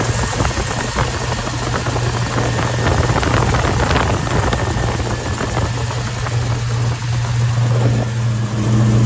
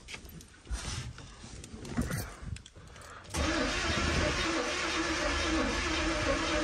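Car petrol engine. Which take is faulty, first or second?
second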